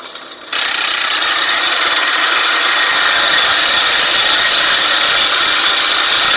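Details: California Trimmer RL205H 20-inch 7-blade reel mower with a Honda GX120, backlapping in reverse with more compound after the reel-to-bedknife screws were tightened. A steady, even hissing scrape shows normal lapping.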